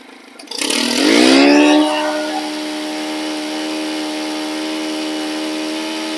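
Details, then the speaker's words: Stihl FS 110 four-mix engine after replacing its leaking crankshaft seals: a quick rev, then a clean, steady high idle with an even buzz and no hunting or stumbling. Runs healthy, normal idle. "so all righty guys we got that little mohican going one more time and she runs good"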